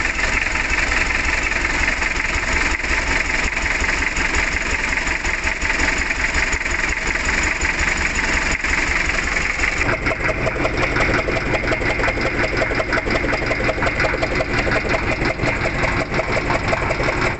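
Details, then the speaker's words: Mitsubishi L300 diesel, rough, shaking and weak despite replaced injector nozzles: rough uneven idle with lumpy beat, one cylinder dead, later traced to a broken rocker arm shaft. "sudah diganti buah pir tapi ternyata masih tetap saja tidak menghasilkan ataupun mesin tetap pincang"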